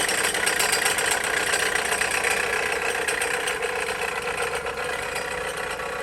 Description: Sounds of a bad alternator. Bad alternator on a 2007 Dodge Caliber.